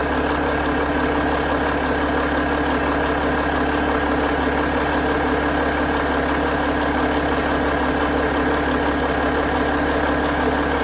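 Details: 2008 Mercedes-Benz ML320 diesel after alternator replacement, charging 14.9 V: steady diesel clatter at even idle with no rise or fall in pitch; engine healthy and smooth.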